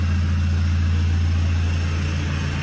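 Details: Toyota Revo 2.8 diesel with its stock turbo set up to whistle: a steady idle carries a faint, constant high-pitched turbo whistle on top.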